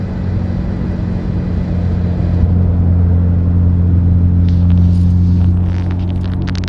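Deep steady drone with a low buzz pulsing about four times a second, holding even throughout; a buzzing noise, source not pinned down. Cause suspected, not confirmed.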